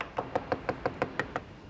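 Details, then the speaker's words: C-5M Super Galaxy cargo plane skin panel tap test, eight quick even taps sounding dull instead of a metallic ping; honeycomb core disbonded from the outer skin, indicating damage. "Right, and that sound, why does that sound different? Because the core is disbonded from the outer skin. So that's our damage."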